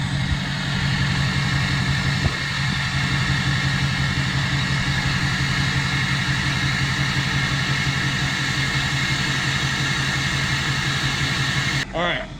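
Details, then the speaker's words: 2006 Chevy LBZ Duramax in limp mode, idling on the first tune of a five-position switch: steady diesel idle clatter with a faint airy turbo hiss on top, which the first and second tunes normally produce. "if I put it in the first tune which I just did you will hear the turbo it takes a second but you'll hear the turbo start to kiss"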